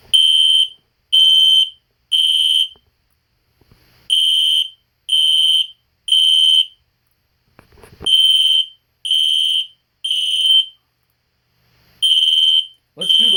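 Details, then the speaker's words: System Sensor P121575 horn-strobe (1575 candela): loud, high-pitched horn blasts in even groups of about three with pauses; normal horn-strobe operation. "the alarm sounds like it's doing full wave rectifier which is fwr the strobes are not in sync anymore ones going faster"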